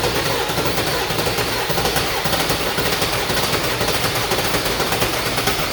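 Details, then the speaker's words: Ford 7.3 Powerstroke diesel started on ether while fuel system primes: loud uneven rapid banging with no steady beat; damaged tip on injector 4 found. "They all look pretty good except for injector 4. The tip of it is pretty messed up."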